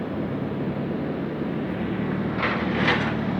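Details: Mercury V8 with a Quadrajet carburetor working only half: low, slightly uneven idle swelling briefly near the end; rough idle after long storage.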